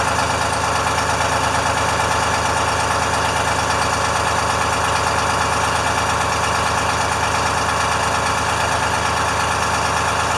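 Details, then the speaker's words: International firetruck with a Detroit diesel, after a ground cable repair and new batteries, just started with good oil pressure. It gives a steady, even idle clatter with a faint air hiss from an air leak. It sounds healthy. "and then it started right up good oil pressure we'll let it run for a second"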